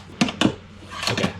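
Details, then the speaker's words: Newly built Baltic birch plywood shop drawer on installed drawer slides; two sharp wooden knocks, then a rolling slide with a softer double bump; knocking suspected from a screw sticking out too far and catching, not confirmed. "that knocking just screw sticking out too far somewhere screws in there kind of an entangled"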